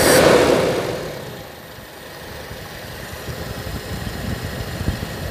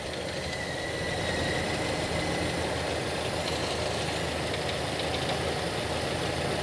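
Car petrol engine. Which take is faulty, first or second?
second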